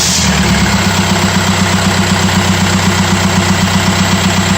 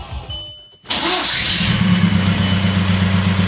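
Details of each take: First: 2004 Audi allroad swapped to a 2.0 TDI BHW PD engine, after starter replacement and reseating the starter away from an aftermarket flywheel: it starts at once into a steady, even diesel idle. The owner still hears slight starter noise and suspects it sits too tight against the flywheel. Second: 2004 Audi allroad with swapped 2.0 TDI BHW PD diesel, new starter: short harsh whirr and clatter at engagement, then the engine catches right away and idles; the starter sat too tight against the flywheel.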